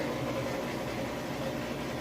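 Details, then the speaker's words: Two-year-old Admiral HE washer on final spin: smooth, even whirring hum with no thumps, knocks, scraping or wobble; the drum spins fast, steady and balanced, as it should. "been really fast and it is nice and stable sounds great so it's not wobbly or shaky or and a weird noises or anything like that"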